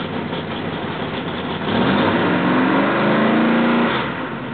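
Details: Rebuilt L88 427 Chevy big-block, hydraulic roller cam, 9.6:1 aluminum heads for 91-octane pump gas, timing set at 36°: lumpy idle rises smoothly on a throttle blip and settles back evenly, no knocks or misses; sounds like an original L88.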